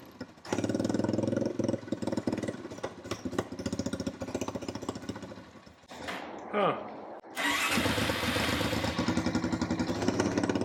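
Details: Honda TRX350 ATV after carburetor cleaning and refitting a forgotten part: cranks and catches with stumbling pulses, dies, restarts into lumpy irregular idle; still won't rev or run right. Owner suspects valves need adjusting or missing air filter back pressure.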